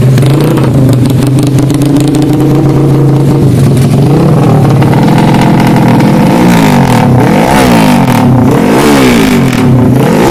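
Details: Karisma built to 160 cc with a racing camshaft, PWK 33 carburetor, 29/24 valves, GL CDI and open pipe: the single lopes and stutters at idle, then gives uneven throttle blips. The rough, lumpy beat comes from the camshaft.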